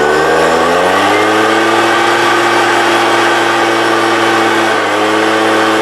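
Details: 1998 STIHL BR320 two-stroke leaf blower, about 24 years old, freshly choke-started: at full throttle the drone climbs lazily to a high note, then gradually sags while held wide open; power loss traced to a dirty carburetor needing cleaning.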